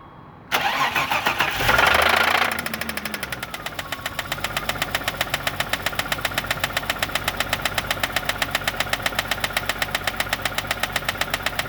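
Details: 1989 BMW 325i E30 engine, just started knocking: catches and settles to idle with a sharp, even tick-knock about four times a second; source of the knock unknown.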